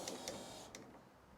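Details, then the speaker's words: Newly linked wiper motor in a 1954 Ford F600 on a 1995 Toyota Coaster bus chassis, with a temporary bolt pivot and not yet mounted: a short, unlabored motor whir with light linkage clicks as it sweeps; working properly. "Oh, there we go. It's doing wiper things. Yeah! buddy. That's doing what we wanted to do."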